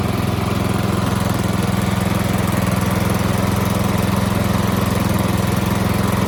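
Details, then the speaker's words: Toro Z4200 TimeCutter 54" zero-turn, once underwater in a hurricane and parked about 2 years, just revived with fresh fuel and a battery: smooth, even low-pitched idle with regular firing and no knocks or misses; normal idle. "There you have it, she's running. Telling you, doesn't take much to get these old mowers going."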